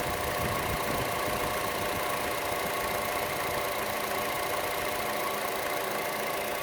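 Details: Chevrolet Cruze at idle, camera moved around the engine: quick light tick keeping pace with the engine over smooth idle, louder than normal engine tick, most noticeable on the belt side; cause unknown.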